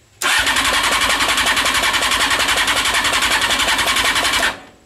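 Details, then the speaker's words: Fuel pump on a home-built CBR600-engined reverse trike, pump tested fine on the battery, now back on the trike's dodgy wiring: buzzy, even pulsing of about 3.5 beats a second, pumping slowly; owner suspects the wiring. "so i put the pump back on the wiring and i don't know if you guys can hear it but it is it is slowly pumping"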